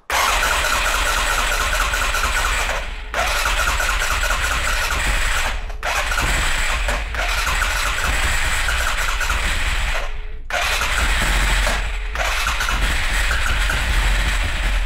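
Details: 2011 Arctic Cat 700 EFI, first starts after reassembly, customer had replaced the fuel pump: five long cranking bursts with pauses, never catches; hard start attributed to low fuel pressure.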